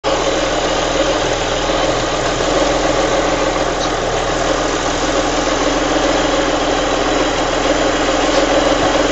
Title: Weird noise from cam belt area - Alfa 166 V6 3.0